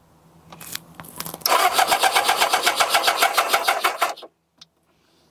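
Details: Kawasaki ZZR600 with a worn HT lead and suspected ignition fault: starter spins it evenly at about four beats a second for three seconds but it never catches; cranks without firing, cause not confirmed.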